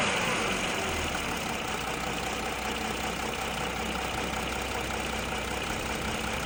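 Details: Audi A4 2.7 TDI diesel at idle: a light, fairly regular tick, about two or three a second, over the engine clatter; source not pinned down.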